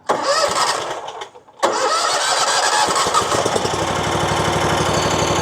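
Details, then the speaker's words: RedMax zero-turn mower with Kawasaki twin engine that surges and backfires: cranks, catches and runs steadily but unevenly on one cylinder with one spark plug wire off; problem persists with either cylinder unplugged. "runs just fine. I mean, it sounds like it's running on one cylinder, but it runs fine."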